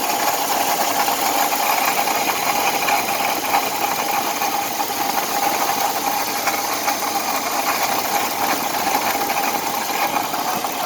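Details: 2004 BMW 530i, sensors already fixed: a thin, steady high-pitched screech at idle over a busy ticking rattle. Source of the screech not located.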